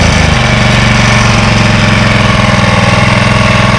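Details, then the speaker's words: 1985 Honda HR214 mower, first start since 2022: steady, even single-cylinder putter at idle with no misses or knocks, slight idle hunting possibly from sitting so long; normal idle. "It's got a nice idle to it, actually. And in Japan, Japanese quality."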